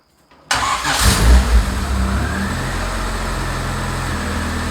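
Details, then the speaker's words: Supercharged engine with 8 lb flywheel, stage four clutch, race header with block-off plate, freshly heat-wrapped intake and header: quick crank, clean catch, sharp revs, even idle; revs up fast, healthy, intake and supercharger audible. "as you can hear sounds really good really healthy it revs up super fast especially with the supercharger the eight pound flywheel stage four clutch"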